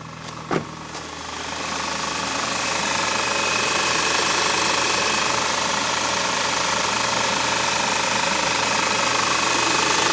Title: Engine knocking